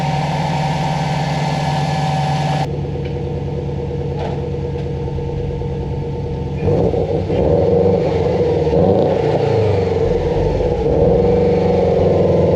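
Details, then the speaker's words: 2004 Subaru WRX wagon after the timing belt tensioner replacement: steady boxer idle with an even beat, then a throttle blip that rises and settles cleanly with no knock. The bad tensioner was confirmed as the cause. "as you can hear she's smooth as can be the timing belt tensioner was definitely the issue at this point"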